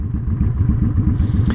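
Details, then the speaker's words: Honda Shadow at idle after fitting a Cobra Streetrod Slashdown exhaust: a lumpy V-twin with soft, irregular exhaust pops. The stock exhaust popped too; the carb has long needed tuning and bigger jets are recommended for this exhaust. "you can barely hear this thing so if you can hear that popping the old exhaust did that too and I know I've been needing to tune this carb for some time now"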